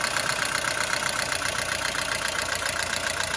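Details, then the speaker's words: Mercedes-Benz W212 with M271 engine, oil level full: fast light clatter of about four ticks a second from the top of the idling engine, hydraulic lifters knocking again; owner suspects coolant getting into the oil. "По сути, проблема с гидравлическими толкателями клапанов снова возникла. Они снова начали стучать. Вот так, по сути, они и гремят."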